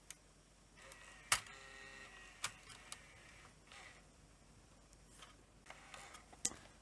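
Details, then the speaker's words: Sony HVR-M15AE DVCAM recorder with damaged back tension band and jamming supply reel: sporadic ticks and short motor whirs as lacing motor struggles, error shown, cassette not ejecting; something broken. "And it's not popping the cassette out. Sounds like something's broken. Hear it ticking, trying to run the lacing motor."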